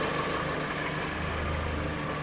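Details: 2012 VW Saveiro 1.6 after replacing the gearbox bearing plate; it had growled at idle in neutral, stopping with clutch pressed. Now smooth, even idle in neutral, steady low hum, no gearbox growl; fixed and healthy.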